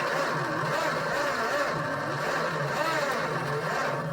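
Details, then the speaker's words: Barn-find 1976 Dodge Dart, stored for years and unregistered since 1997, first start attempt: the starter drags the engine round in a slow, laboured rhythm; the battery then smoked. "I can't see nothing. It's not cranking fast enough."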